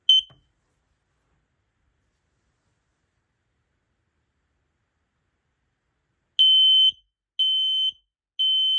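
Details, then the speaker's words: Kidde TruSense 2070-VASCR hardwired smoke and CO alarm, freshly powered up, test button pressed: loud high-pitched beeps, three roughly one-second pulses after a pause; normal test sequence. "Let's go ahead and push the test button and test it. Here we go."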